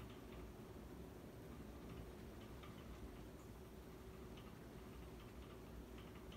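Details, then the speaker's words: Dynasty hugger 52-inch ceiling fan from January 1988, bearings not broken in, slight wobble, on high speed: quiet hum with light, irregular ticking; rattle, owner suspects motor rattling against the hexagon bolts locking it to the mounting bracket. "And you know, actually, what I think it is there's those two like hexagon type bolts that lock the fan motor to the mounting bracket. I think that it just might be rattling against that."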